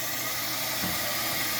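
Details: Maytag top-load washer (MVW4505M/MVW5035M) with lid lock bypassed by magnets, lid open at cycle start: steady hiss of water rushing into the tub, no knocking or grinding; normal fill.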